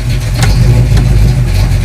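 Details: 1973 AMC Hornet rallycross car, transmission cooler bypassed, after topping up low transmission fluid: steady deep engine drone pulling evenly under load with no flare or slip; transmission now engages cleanly.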